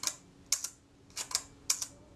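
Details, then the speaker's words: Rebuilt camera shutter at 1/8 s after moving the retard gear train inward for more cam engagement: crisp paired open and close clicks only about a tenth of a second apart; slow shutter speed still running fast. "It's still a bit fast, but you'll see, even on 1 second, you'll see how the shutter blades close promptly now. They snap shut."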